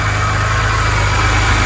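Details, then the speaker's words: BMW E90 N52 at idle after replacing a collapsed oil filter that caused a high-pitched whistle: smooth, even low hum with the whistle gone, a normal idle. "it's gone there we go folks so fortunately in this case um this was able to solve it like I said it's the oil filter that has ended up being collapsed"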